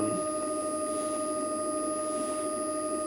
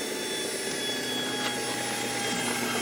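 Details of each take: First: Gen1 Nissan Leaf motor driven from a Leaf inverter via a DIY VCU, unloaded: steady electric whine holds pitch after throttle release, even speeding up slightly when touched again; speed never drops. Owner suspects lack of load on the motor prevents the inverter slowing it. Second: Gen1 Nissan Leaf motor driven by the Leaf inverter in a DIY EV build, almost no load and no oil in the gearbox: a thin electric whine with high fine tones fades gently as the rpm slowly falls; normal motor coast-down.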